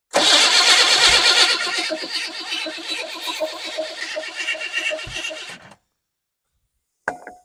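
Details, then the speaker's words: 1988 Chevy S10 Blazer, abandoned, first start attempt: starter whirs on past release point, steady cranking pulses for several seconds then cuts off abruptly; sticking starter. "let's try it again turn the keyo on please the starter sticking so I'm just going to touch this by way of you know that"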